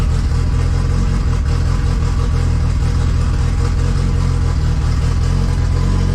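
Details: 2G Mitsubishi Eclipse GSX on FuelTech ECU, first start after fixing a faulty crank angle sensor (CAS) connector that gave no RPM signal, with post-start enrichment reduced and target idle raised: a loud, steady, low engine roar with no knocks or misses. Normal running.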